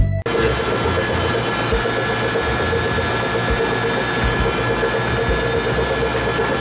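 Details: Rough, repeating grind and click over the engine while slowly creeping home in a tuned, lowered Polo 6N2 Turbo, after hard driving; owner assumed a rear driveshaft or CV joint failure.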